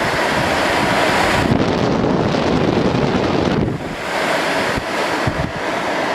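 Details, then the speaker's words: 1988 Fedders Cool Tote Slim 5000 BTU air conditioner, fan on high: strong, steady rush of air with no rattle or scrape, easing slightly as speed drops; really strong fan running normally. "There's high. Wow, it's really got a strong fan."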